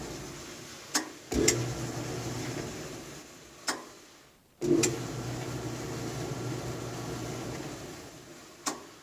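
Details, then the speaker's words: Hotpoint dryer after belt replacement: motor spins up with a click and hum then winds down each time the start button is released, because the belt tensioner arm isn't engaging the belt switch; quieter, no more vibration. "Oops. I think we're not engaging the switch, or the other issues are with this thing. Like centrifugal switch on the motor, but it's a lot quieter."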